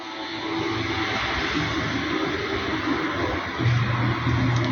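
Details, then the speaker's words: Samsung front-load washer-dryer on the 15-minute quick cycle: steady water rush during fill with a low hum near the end and no odd noise past the 13 mark. "Tá abastecendo com a água lá dentro ó ó chegou no 13 galera não teve barulho até agora"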